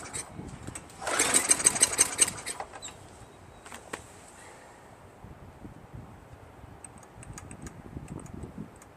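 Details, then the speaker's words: Craftsman Eager 1 22-inch self-propelled mower, 5.5 HP Tecumseh, rebuilt carburetor; brief burst of rapid pops for about a second that sputters out, engine tries to catch but won't run. No-start from sticking governor, fixed by adjusting it back slightly. "So, it started for a little while after I put a piece of wire pulling the governor back just a little bit. It's sticking right there."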